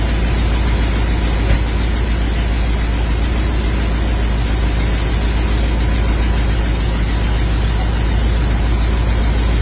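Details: Older carbureted vehicle that had sat a while, started after filling the dried-out carb bowl with gas through the vent port: steady, even low rumble with no misses, knocks or stumbles, holding a smooth idle; running cleanly.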